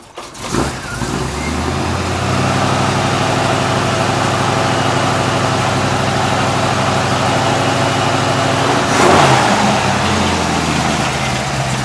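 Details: 1957 Chevrolet station wagon with a new 327 V8 starting and idling; a light knock about three times a second from the steering linkage flexing against the new exhaust header and tailpipe.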